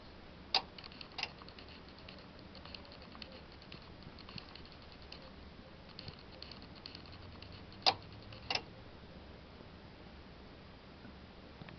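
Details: Bosch WAY32541 washing machine that often won't power on after a house-wide power failure: sharp double click from the back about every 7–8 seconds while the display stays dark; cause unknown.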